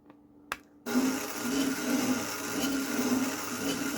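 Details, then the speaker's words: Demolition Man pinball elevator mechanism, previously sluggish, grindy and struggling. Motor tested, then elevator reconnected with one screw. The motor now runs with a steady, even hum and no grinding, working well. "hm say that works pretty effing good"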